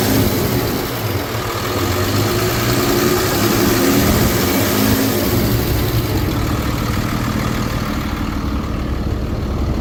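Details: 2013 Ford F-750 Altec bucket truck, 6.7L Cummins turbo diesel, automatic, 72,000 miles, fleet maintained, no check engine lights. After start-up it holds a steady, even diesel clatter at idle with no skips, misfiring or smoke. Healthy.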